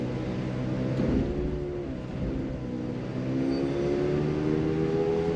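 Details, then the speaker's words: Car run on a lift with customer complaint of howling: low steady howl rising slightly in pitch as the wheels speed up, from bad left and right front wheel bearings; also a bent rim. "sounds like the left front just want to rule out the right front so now that we took it up top we ran the vehicle on the lift we could tell we most definitely have a left front wheel bearing that's goo got"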